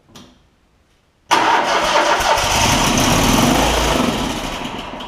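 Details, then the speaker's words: John Deere ZTrak Z915E mower, Kohler V-twin, sat 2 years, before repair: quiet crank, sudden catch and roar for a few seconds on carb spray, then sags away; fuel starvation, later traced to sticky carb solenoid. "Yeah, it'll at least pop off. It's just not getting any gas."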